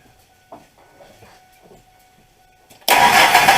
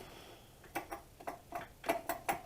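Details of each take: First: 2000 Ford F150 4.2 V6 after replacing a bad idler pulley, first suspected to be the alternator: it fires quickly and holds a steady, even idle, and the front-end knocking noise is gone. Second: 2000 Ford F-150 4.2 V6 with a front knocking noise first blamed on the alternator: the idler pulley, hand-spun with the belt off, gives rough, uneven clicks and rattly ticks about three a second. Its bearing is worn out.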